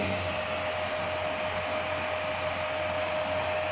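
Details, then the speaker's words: Home-built 15 A CT 55 power amplifier, powered via soft start and MCB: constant airy whoosh with a steady fixed hum, no rattles or wobble; a bit noisy because of its four cooling fans, which run normally. "Agak berisik, teman-teman. Karena ada empat kipas angin, kawan-kawan."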